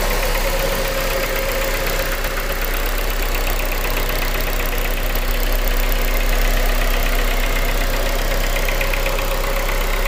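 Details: 2001 Honda Civic DX with swapped JDM K20A (Integra iS), 5-speed, Kpro basemap, about 7k miles since swap: steady idle with a light even knock about four per second over injector tick, present since day one, louder in cold temperatures; cause unknown.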